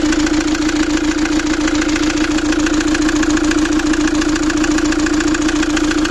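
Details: Fiat Doblo 1.9 JTD (Opel Z19DT 1.9 CDTI) diesel before overhaul: hard regular knock at idle, about three and a half per second, over loud clatter; endoscopy shows scored first cylinder and valve imprint on piston.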